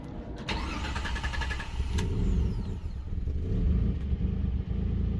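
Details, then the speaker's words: 2007 Jeep Liberty 3.7L with stalling/no-run complaint, restarted after EGR valve checks: short crank then catches and settles into low fairly steady idle; runs better but not perfect, snorkel and breather tube found disconnected. "And it's running better. It's not perfect."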